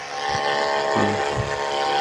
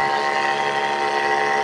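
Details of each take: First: Mini 12 V DC booster pump package (about 4–5 LPM) with added on/off switch: steady electric hum with a faint whine continues with the outlet tap closed at the far end; pump keeps running instead of switching off. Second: Mini 12 V DC booster pump package with automatic pressure switch feeding a small tank 3 m high, two taps opened: steady, even motor hum with a few clean tones and no rattle or surging; pump running normally, modest pressure.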